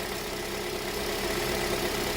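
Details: 2007 Toyota after a crank, no-start fix: smooth, even idle with a soft steady hum and no misfire, knock or hunting. Normal idle.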